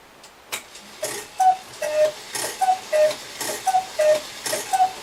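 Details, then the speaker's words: Restored Regula 25 cuckoo clock with hammer and bellows lift arms adjusted and timed: clear two-note cuckoo calls with bellows puffs about once a second, evenly timed; cuckoo mechanism working properly. "and so it's wonderful to bring a beautiful clock like this back from the dead"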